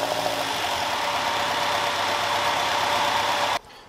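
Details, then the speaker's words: Caterham Super Seven carburetor engine after engine settings work: steady roar for about 3.5 seconds then cut off, no pops or bangs; engine vibration much reduced and the earlier backfires are gone. "Also, the vibration of the engine has been reduced a lot! And the backfires that were a problem are no longer there."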